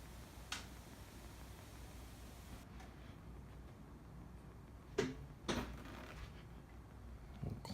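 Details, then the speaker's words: Tesla Model 3, parked and switched off: soft isolated clunks over a low steady hum. A fan cycles on and off every minute or two, with lights flashing, and clunks recur as the fan starts and stops. "Clunked again. Fan is going right now. Some kind of fan. There's that clunk again."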